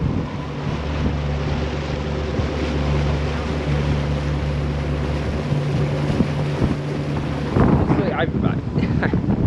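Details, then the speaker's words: Twin engines on a 32-year-old 1992 Sea Ray 380 Sun Sport with Bravo 3 drives and 28-pitch props, underway in sync: a steady, even low drone with no beating or wobble under wind and water noise; running good. "It's been very rare that I've had her this synced up, and I don't know, she's running good."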